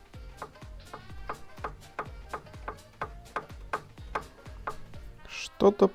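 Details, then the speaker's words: Elite bicycle trainer with drive, strange noise while spinning: sharp ringing knocks repeating about three times a second, pointing to a loose nut rattling in the drive; to be disassembled and cleaned. "elit Дета станок с приводом с проблемой при вращении какой-то непонятный"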